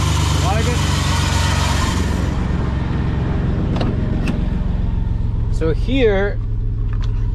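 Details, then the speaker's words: 1993 Chevy Silverado 4.3 V6 automatic 2WD, which had an erratic idle and died on cold start, after replacing fuel pressure regulator (GP Sorensen 88-225); holds steady low idle without stumbling or dying, few handling clicks; normal idle. "so that's it guys idling no problem before we're searching we want it to die every single time"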